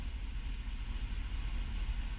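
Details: 2005 Chevrolet Avalanche 5.3 L V8 after P0300 random misfire repair (spark plugs, coils, injectors replaced), bank two long-term fuel trim about minus 15: deep, even idle rumble with no stumble or skipped beats; misfire gone, no misfire now.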